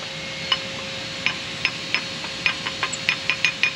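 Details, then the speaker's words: Restored 1895 hose cart, hose reel cranked back after use: crisp, irregular metallic clicks, each catch clean and distinct. Normal ratchet clicking. "and you hear the ratchet, and it comes back, and it's all back in service, ready to go for the next call."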